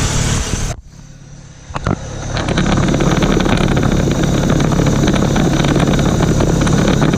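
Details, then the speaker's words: 1991 Mitsubishi Galant VR-4, custom turbo manifold with cracks welded, E85, Precision 5558 turbo, 3-inch exhaust, warmed up: sharp hard rev with crackle on limiter, no ticking or puffing; exhaust leak fixed, normal revving. "let's try this again see if I got rid of that exhaust leak [Music] that sounds way better now heck yeah"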